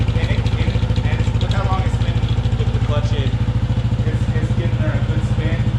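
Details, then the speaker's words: Chain drive in gear spinning freely after chain maintenance, clutch in: steady even idle with a light regular tick where the chain just hits a part; chain judged not to need tightening; normal chain drive. "Now we're gonna put her in gear and let her spin. Oh, this sounds good. It's just hitting that guy. That's the noise you're hearing."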